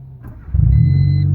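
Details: 1989 Honda Civic Wagovan after crank-no-start, fixed by tapping relay rather than fuel pump: brief crank, fires at once and settles into smooth steady low idle; clean healthy start.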